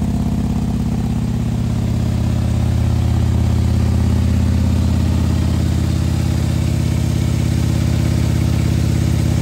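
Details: 2020 Harley-Davidson Road Glide with 130-inch T-Man Performance engine, fresh build idling cold to warm up so the pistons expand before revving: deep, even loping idle about three beats a second, no knocks or ticks; normal warm-up idle.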